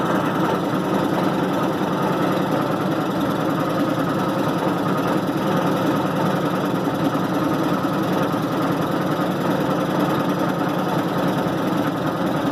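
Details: 1990 Maytag LA211 washer on spin cycle: steady low drone with rough pulsing groan, drivetrain labouring; belts, brake and the brake's bearing already replaced, cause still unknown.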